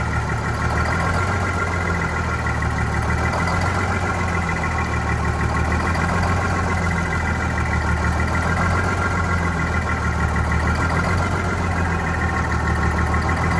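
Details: Vintage diesel bus on a very cold day, heavy idle low and lumpy with a slow uneven surge every two or three seconds; rough running after fuel hose replacement and re-priming, clear fuel-line section showing air, possibly fuel starvation.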